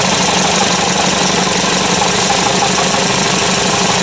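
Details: Caterpillar forklift engine idling rough and uneven with one cylinder dead (number one shows no rpm drop when unplugged); misfire caused by a shorted ignition coil.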